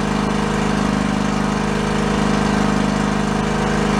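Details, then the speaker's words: John Deere LX178 lawn tractor, engine believed to be a liquid-cooled Kawasaki, hydrostatic drive, running with mower deck engaged; chugs slowly with distinct, slightly uneven pulses, needs more rpm, to be raised at throttle adjustment: low idle speed. "there's going to be an adjustment right here too we should be able to bump the RPMs up also so I'm gonna go crank that up a little"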